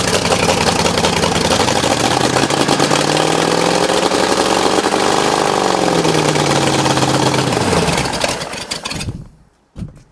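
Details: Ford 59A Flathead V8 with water leaking into the number 8 cylinder, a suspected damaged block that hydrolocked. A loose, lumpy beat swells and then dies away: rough running.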